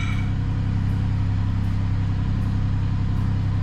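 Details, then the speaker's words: Chevrolet Monte Carlo petrol V6 idling smoothly on a cold start after repair of misfire codes P0201 and P0301 caused by squirrel-damaged wiring; steady even rumble with no stumble, miss gone. "But I'm just going to test this real fast to see if my miss went away. I haven't cleared the code, so those of course still going to be on there. See? Yep. She fired right up."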